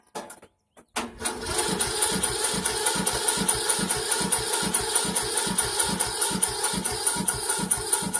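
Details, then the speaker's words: Poulan Pro riding tractor, first start of the season on full choke: starter drags the engine over slowly, labouring, never fires; battery has too little charge and needs trickle charging. "The battery needs to be trickle charged. That kind of sucks. I'm going to go get the trickle charger. Got a little bit left, but not quite enough to fire it up."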